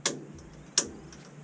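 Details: Gas water heater, first gas-on of the season, pilot knob held down while sparking: sharp crisp igniter clicks about every 0.7 s, no flame whoosh following. The igniter sparks but the pilot won't light; possibly air in the gas line, not confirmed.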